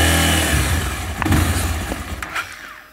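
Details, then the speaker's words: Honda XRE300 single-cylinder that stalls and is hard to start, weak battery after repeated cranking; revs roughly under held throttle then sags and dies; detergent-water test bubbles and foams while running, stopping when shut off, indicating a cracked cylinder head. "e olha aí rapaz disco mana acho que era a mão pouquinho vai é e ela era uma morreu pessoal viu olha só ela tá espumando quando ela desliga a espuma para de borbulhar quando liga ela novamente Olha aí a borbulha subindo"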